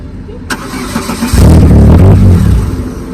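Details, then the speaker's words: 2001 Chevrolet Cavalier, abandoned, new fuel pump and filter: cranks, fires a brief low rumble about a second, then dies; suspected dead short or wiring harness electrical fault. "It comes on for a second and dies. Yeah, we've got an electrical issue somewhere."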